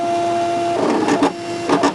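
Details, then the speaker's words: Brother ScanNCut with a non-OEM blade, pressure decreased and blade depth increased: steady motor hum, then repeated crackling, ripping bursts as the blade drags and tears the paper. "you hear that paper starts crinkling does not make me a happy camper"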